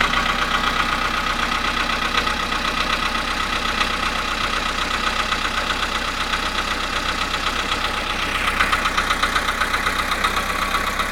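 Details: VW Polo Sedan cold start at +1.5°C after standing 19 hours, 17,937 km; steady idle with a sharp regular tick-knock about four times a second, cold-start engine knock.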